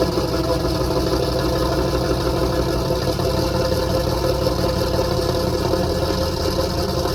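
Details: 334 small-block Chevy V8 after break-in and oil change, choke idle screw adjusted, warming up: steady even idle, smooth low burble, no knocks or ticks; sounds good, still needs a little tuning.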